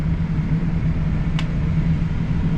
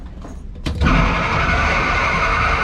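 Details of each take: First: Commercial fan coil unit after its fan was not running, switched on in bypass/hand: startup sounded bad, then a steady, even low hum with one light click as the fan moves; fan now running. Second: York four-pipe fan coil unit blower, belt due for change and greasing, starting without a VFD: a sudden loud surge to full speed, then a steady roar with a fading whine. The harsh startup needs a VFD to ramp the fan motor slowly.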